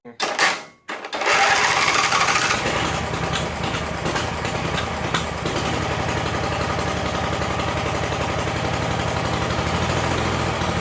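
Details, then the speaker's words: Sears GT18 / Roper 16T V-twin with two coils, diode in shut-off wire: fires up into a ragged, irregular beat that never evens out, only with key on; owner reports it runs fine once key is off, cause unclear. "but what I don't understand is it only does it with the key turned on. As soon as I shut the key off, it continues to run, but then it runs fine."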